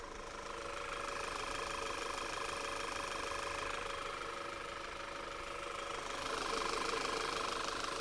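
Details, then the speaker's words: Audi (Q5 or S5 in the same session) at idle, near stalling, while fuel trims are graphed; a steady quiet idle with a constant airy hiss. A vacuum leak on the intake side is suspected, possibly the crankcase vent valve, but is not yet located. "that's why i hear something hissing but i can't i can't quite nail it down"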